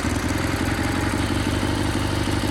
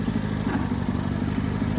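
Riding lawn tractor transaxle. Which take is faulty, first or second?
second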